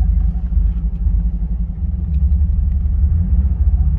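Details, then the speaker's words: Ford Bronco Raptor off-roading up a muddy hill: deep, lumpy rumble with an uneven pulsing beat, sounding like a misfire after being bogged down; sounded fine again once revved up. "sounds like it's missing or something [Music] probably didn't like a service yeah"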